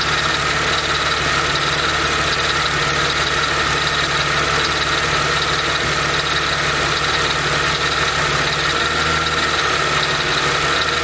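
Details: Mercedes SLK 32 AMG engine: rhythmic rattle "dadum dadum" audible from about 40°C, speeding up with rpm and vanishing above a certain rpm, under the separate quick ticking; source unclear.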